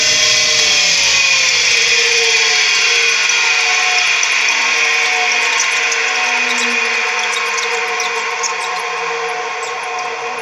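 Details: Tempstar furnace draft inducer motor, slow to start and sticking until sprayed with lubricant: loud, high, drill-like whine with steady tones that sag slightly; bad, dry bearings, lubricated as a temporary fix.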